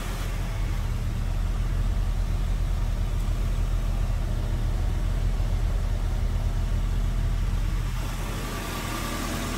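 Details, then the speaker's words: 1987 Volvo 240 GL wagon after an estimated 5+ years sitting, smoky garage, idle screw raised: low, slightly uneven idle rumble that wavers now and then; rough idle, cause not confirmed. "it's running okay i had to put it on high idle or i had to mess with the idle screw to make it idle a little uh what's it called higher because it started to"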